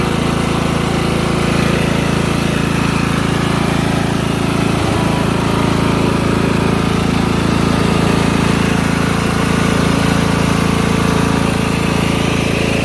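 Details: Lawn mower after clearing flooding: even, steady engine beat at constant speed, no misses or stumbles; normal running.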